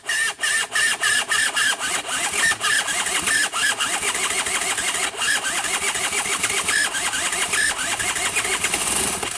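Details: Honda Nifty 50 scooter parts bike, coil wired through a broken fuse to the battery: starter spins the engine over at about three to four compressions a second, steady, but it never fires.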